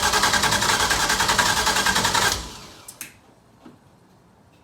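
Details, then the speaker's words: LS V8 swapped into an FRS, one bank's coil packs unplugged earlier: the starter spins the engine at about three and a half even turns a second and it never fires. Crank, no start from flooded cylinders. "the cylinders are flooded let me I'm let me crank it again just to get the it's that's why it's not starting"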